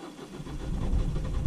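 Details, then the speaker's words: 2007 Ford Fiesta 1.4 TDCi diesel with the cylinder 3 injector unplugged and cylinder 2 suspected faulty: low, labouring crank on a weak battery that builds but never catches. Hard start, no start. "yeah doesn't want to start um so I wonder if that's brought up any trouble kit"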